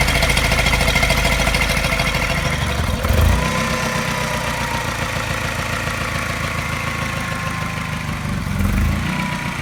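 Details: Mini N12 petrol engine idling, not quite cold but not warm, fast idle after new cat and O2 sensors: steady regular tap coinciding with a mild regular misfire, seemingly pulsing; cause unknown.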